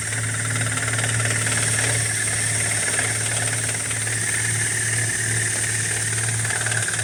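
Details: BMW E87 118i, N46B20 engine, cold start: rapid clattery ticking like a bucket of nails over a steady idle, disappearing after brief running, on every cold start; hydraulic lifter tick.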